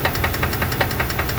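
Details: 2002 Dodge Dakota 4.7 L V8: rapid evenly spaced sharp ticks, about ten a second, over a low idle rumble; owner suspects lifter or piston slap, unconfirmed.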